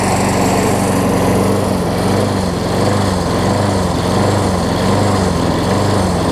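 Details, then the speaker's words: Craftsman self-propelled push mower after flywheel key and carburetor replacement: small engine runs unevenly, loping and surging about once a second. Rough running; owner suspects the float is stuck or the jet is partially clogged. "I wanted to run for a good 10 10 minutes or so, honestly. So, it almost sounds like the float's gotten stuck on it, unfortunately."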